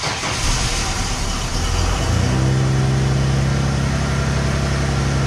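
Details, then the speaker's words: 2017 Ford F150 5.0 V8, startup with the original exhaust before cat replacement: cranks, then settles to a loud, raspy, droning idle; the catalytic converters and muffler are shot, with one cat rusted out and resting on a brace. "doesn't sound great and even more says it doesn't smell great if we take a look underneath see and muffler shot these cats are completely shot"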